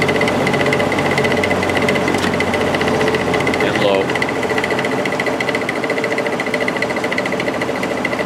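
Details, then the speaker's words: Repaired Air King 9218 window fan on high: constant buzzing hum with rough rattly vibration from the motor; felt washers and bearing are fine, noise comes from an out-of-round rotor. "foreign so you can hear all that racket coming from the motor it's it's not being caused by the washers or anything like that there's plenty of washers in there the felt washers are in good shape the bearing is in good shape it's just um that imperfect rotor"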